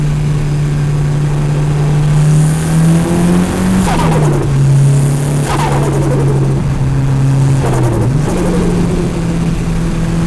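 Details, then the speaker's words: Mitsubishi Evo turbo engine, recorder in engine bay, after budget under-$10 flutter mod: revs rise and drop repeatedly, each throttle lift followed by brief muffled flutter as boost surges back through turbo compressor. "go this thing is so sick well there you have it guys that is how to make your car do some hectic doses on the cheat"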